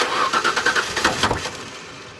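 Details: 1999 Mazda B3000 right after a new ignition coil was fitted, with plug wires placed 1/3/5 left and 2/4/6 right and the ground secured. The starter churns in a quick even rhythm for about a second, then fades with no catch; no start traced to the wrong ignition coil.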